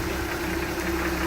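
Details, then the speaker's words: 1967 Ford F-100 custom cab, stock 240 cu in inline six, hood open: even, steady idle hum, no misses or irregular knocks; idling smoothly and healthy. "All right, there's that 240 cubic inch inline 6-cylinder, purring like a kitten."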